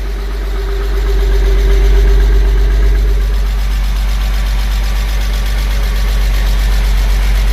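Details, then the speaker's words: Porsche 986 Boxster flat-six, first startup after IMS bearing, starter, oil vapour separator, intake manifold cleaning and gasket, oil cooler replacement; even settled idle, steady low hum, exhaust rattle and noisy AC compressor noise gone. Normal idle. "good news. There's no more noise. As you can see, there's no more noise. There's no more noise from the exhaust. There's no more noise, rattle noise from the exhaust."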